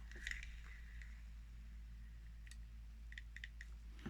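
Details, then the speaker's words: Daiwa Ninja LT spinning reel cranked by hand: faint light clicks first thought to be the handle, actually a poorly adjusted main gear pair knocking; adjustment shims to be added to reduce the play. "Маємо стук. Тут маємо. А спочатку я думав, що це ручка, але ні, це у нас стучить головна пара. Погано вона відрегульована."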